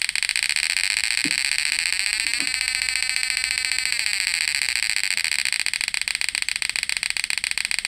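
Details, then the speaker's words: Repaired PDC 12F mini electric shocker (setrum) whose output was dead with the relay only clicking: shrill, steady electronic whine with a fast pulsing buzz and no dropouts; inverter output and frequency now normal. "Out inverternya itu enggak pincang. Frekuensinya juga enggak pincang normal. Alhamdulillah alatnya sudah berfungsi dengan baik ya."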